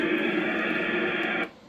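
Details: Icom IC-756PRO on 2m at 100W showing a squelch tail ('kerchunk') on unkey: about 1.5 seconds of rushing hiss, then a sharp cut-off. It is suspected to be a radio setting, not confirmed.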